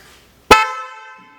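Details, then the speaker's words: Porsche Boxster (986/996) horn that had stopped working, relay clicking, replaced with a new universal-fit horn, rewired and tested before reassembly: one clean, loud blast with a steady bright tone that rings and fades; strong, healthy horn. "you may have to reposition this horn to get it to fit back in there before you put it all back together make sure the horn Works"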